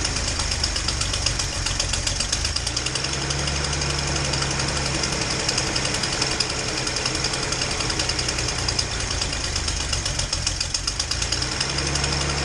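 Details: Datsun 240Z inline-six, previously running on four cylinders, after new plugs: fast, sharp ticking rides over a slightly uneven idle that is still not great. This is a known exhaust leak at cylinder 2, possibly at the EGR port.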